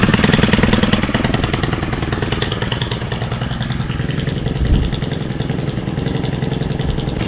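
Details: Stihl FS91R string trimmer, unused since December with fuel stabilizer added: a buzzy two-stroke note holding a steady run with a brief rev in the middle and no stumbling or misfires. It runs normally after winter storage.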